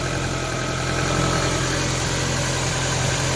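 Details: Ford Focus Mk1 Sigma petrol engine idling just after oil and filter change, no leaks: smooth even idle, steady low hum with belt noise, no knocks or ticks; healthy, belts noisier than engine.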